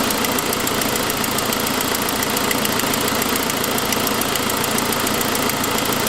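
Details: 2006 Saab 9-5, noise that followed an earlier louder turbo noise: fast, sharp ticking in time with the idle over the engine hum, caused by an exhaust leak from a broken forwardmost exhaust manifold stud, not lifters.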